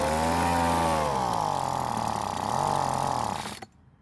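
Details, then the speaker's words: Weed Eater two-stroke leaf blower after long storage, carburetor tuning: buzz sags in pitch, briefly recovers, then cuts out after about three and a half seconds off choke; runs on partial choke, suspected lean, needing more fuel via L and H screws. "now since the engine runs with partial choke and wants to die off choke i'm gonna assume it wants more fuel"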